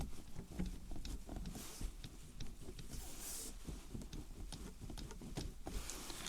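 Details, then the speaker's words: BMW G20 sunroof shade held down and wiggled gives irregular light plastic clicks and taps, the same rattle heard over bumps; the owner assumes the cause is the shade's contact point on its rail. "That's exact noise that I hear when I go over bumps. And this is actually the contact point where the sunroof shade is sitting up on its rail and it's rattling when it's going over bumps with a movement like that."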